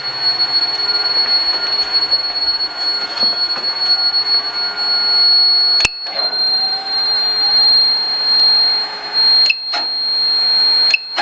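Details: Robot vacuum DCZ70 running: a steady high-pitched buzz at one pitch over the running hiss, with brief dropouts; an abnormal buzzing noise, cause unclear.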